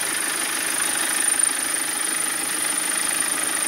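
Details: 2010 BMW 520d diesel at idle: diesel clatter with a thin, steady high ringing from the engine that stops when revved and returns at idle. After other causes were eliminated, the cause is a broken engine mount.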